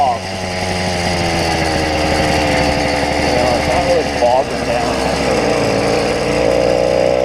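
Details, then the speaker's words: YD100 two-stroke bike engine with carburetor set to its leanest setting and idle screw turned out: crisp, steady buzz holding an even beat, idling on its own without stumbling; mixture now running clean. "i was now able to take the idle and turn it out it's idling on its own these are all good things"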